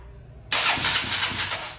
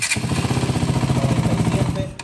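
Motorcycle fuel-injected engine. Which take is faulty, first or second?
first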